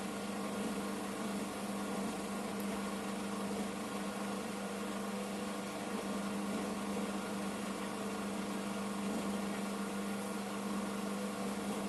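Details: Washing machine loaded with towels on its 1000 rpm spin program (its maximum), drain phase before spinning: steady low hum with a faint whirr and water rush, no knocking or grinding; drain pump running normally.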